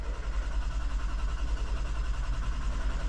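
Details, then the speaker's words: 2020 Toyota Sienna crank-no-start after replacing a blown fuse: long crank with steady low drone, no firing rhythm, then it stops cranking altogether; the fuse blew again, something on that circuit is shorting. "So, it's taking a long time to crank. Now, it's not cranking at all."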